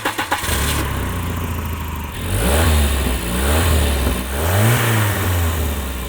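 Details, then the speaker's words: Volvo 940 2.3 Turbo automatic, 265,000 miles, cold start then revving: loud raspy blatting low exhaust note rising and falling with throttle, like a rally car; exhaust leak. "it does sound a bit like a rally car with the exhaust it does yeah pure audi quattro i like it"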